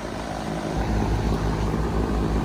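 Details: Three-phase HVAC blower motor after both damaged contactors were replaced, running in unit test mode. A deep, even whoosh with a soft steady throb and no squeal or grinding; the blower runs smoothly at full speed.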